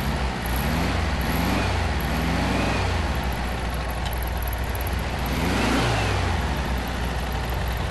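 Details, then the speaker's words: Classic VW Beetle, just started cold on choke after an express carburetor clean and rebuild, with idle mixture screw about five to six turns out, done to cure hesitation. Steady, even air-cooled putter with no misses; normal idle. "Beauty. Idling good. Let's let it warm up a little bit."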